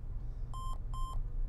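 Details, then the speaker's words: HP EliteBook 850 G3 that wouldn't boot (lights blinked off), powered on after reinstalling the suspected faulty memory DIMM: two short high beeps at startup. A loose DIMM or bad memory slot is suspected, not confirmed. "some beeps now that's not what it was doing originally but it might have had a weak battery when I first got it"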